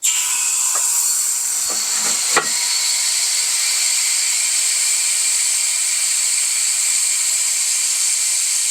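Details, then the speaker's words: Coats 5030A tire machine after pedal rebuild with new O-rings, air supply opened to pressurize: steady high hiss of air that lessens as the system fills; possibly just filling, leak not confirmed. "all right it's making less noise as time goes on so that's good maybe it's just filling up"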